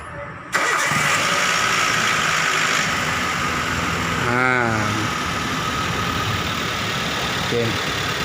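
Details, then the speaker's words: Vehicle just after an oil change, odometer around 266 (next change at +5,000): starter whirs briefly, engine catches cleanly and settles into a steady, even idle with no knocks or misses; checking whether the sound changed. "setelah diganti oli terlihat tekanan suara mesinnya"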